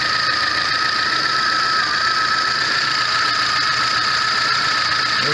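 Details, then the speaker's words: VAZ 21099 reassembled after a burnt valve was found; the earlier misfire, shaking and hunting idle are gone: steady, even idle hum with no stumble or shake, compression now equal on all cylinders. "Собрал все до кучи. Ничего не троит, все работает, мотор не трясет, все здорово,"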